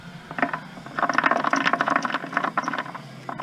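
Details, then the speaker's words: SM465 truck transmission on the bench, top off, shaft turned by hand in first (about 6.92:1, unsynchronized): uneven ratcheting clatter and gritty meshing, noisy in first; owner sometimes ground first, gear edges chewed and glitter found inside. "I could see that being a little noisy because sometimes I grind first, it's not synchroed."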